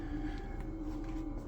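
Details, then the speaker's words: TopsFlo TD5 24V DC compact home-brewery pump running, outlet submerged in kettle to avoid splashing: barely a hum or vibration, faint steady low hum with no rattle or surging; normal quiet pump. "but let's just hear what that pump sounds like. Barely a hum or vibration."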